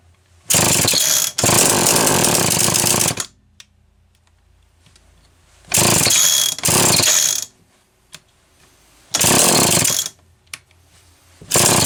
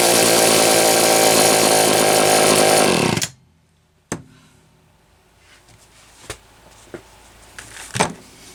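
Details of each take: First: Homelite XL-123 chainsaw: screams in one-to-two-second bursts, cutting out and refiring repeatedly, worse than before; ignition misfire, points suspected, later traced to a faulty condenser. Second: Homelite XL-123 chainsaw after condenser replacement cured ignition popping and banging: strong, steady high-revving two-stroke buzz, no popping or misfire for about three seconds before shutting off; runs clean.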